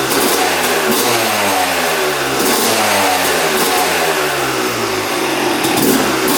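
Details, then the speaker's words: 2006 Yamaha YZ250 two-stroke after full engine rebuild, carb leak fixed, before first ride: sharp blips rising and falling cleanly, crisp crackle with no bogging or hesitation; normal revving. "That sounds really, really good. That's how it should sound. See how crispy that sounds."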